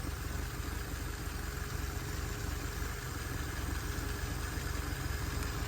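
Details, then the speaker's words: Lotus Elan restomod with carburettors refitted and fuel line flushed, AFR settling near 13: steady even low burble, no stumbles or hunting; idling reasonably well before carb synchronising. "it's idling reasonably well let's get the synchrometer out"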